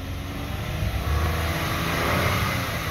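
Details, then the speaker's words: 2008 Ford Edge Limited revved to about 4,000 rpm, no warning lights: smooth even rise in engine note with no knocks or rattles; engine sounds really good, normal. "that was about 4,000 engine sounds really good"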